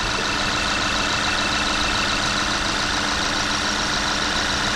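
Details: VW Jetta idling right after high-pressure fuel pump replacement: quiet even idle with light fuel-system tick over a steady hum, no stumbles; EPC light still lit from an active fault code, no leaks found; idling normally.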